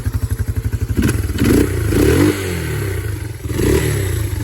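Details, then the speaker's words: Yamaha Moto 4 (225/250) ATV single after bent-valve rebuild and exhaust valve clearance set to 0.006, slightly warm: even idle thumping, then clean revs rising and falling smoothly, no tapping or clicking from the top end. Normal idle and revving. "See how smooth it runs now? No tapping, no clicking. It's nice and smooth."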